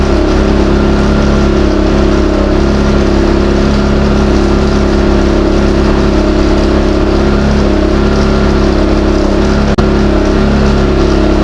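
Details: New Westinghouse iGen4000DFc dual-fuel generator, first run out of the box, powering an air compressor at about 1400–1700 W and 122 V: a steady, slightly loud, even drone with no knocking or rattles. Normal under load.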